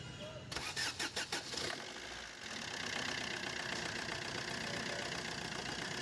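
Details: Maruti Suzuki Swift VDI diesel after repair of grinder-like noise from the AC compressor, with new belt fitted: starter turns over in about five quick beats, catches cleanly, settles into steady even diesel idle; normal start and idle.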